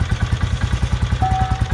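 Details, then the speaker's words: 2008 Royal Enfield Bullet Machismo 350 ES, little used, idling: slow even single-cylinder thump, roughly eight beats a second, no extra clatter or misses; engine normal, no extra noise. "तो engine में extra noise कुछ भी नहीं है, क्योंकि गाड़ी ज़्यादा चली नहीं थी, तो इंजन इसका ज़्यादा ख़राब नहीं हुआ था, तो नॉर्मल है इंजन।"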